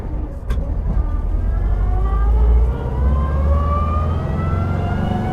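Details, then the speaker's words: 1944 VW Kubelwagen (80-year-old) cruising: a steady whine rising in pitch with road speed over the low engine drone, the normal gearbox whine. "Hear that big old whine? Yeah, big time, man. I love that sound."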